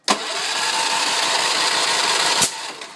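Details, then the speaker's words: Ransomes 3500 mower, choke full, primer bulb used, tank full, economy off: steady starter churning about two seconds with one brief sputter near the end, then silence; cranks but won't start. "there's one sputter three four five 6 7 8 9 10 give it a couple primes anyway that's it no start"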